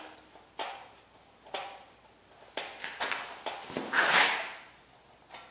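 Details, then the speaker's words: Smog 305 small-block Chevy: a ball hone snags a heavy worn ring ridge at the top of the bore, giving sharp, irregular clacks and scraping bursts. "Yeah, gnarliest ring wrench I've ever heard. And this was just a little bit dirty. Got a little bit of ring wrench, but not much."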